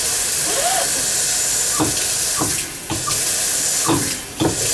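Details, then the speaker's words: Faucet on a November plumbing service call: rushing water with short chirps and squeaks over the flow; the diverter head was loose, and pushing it back in stopped the noise. "this thing was loose right here it might have just been that this was [Music] loose see now that we push it in yeah it's not making the noise"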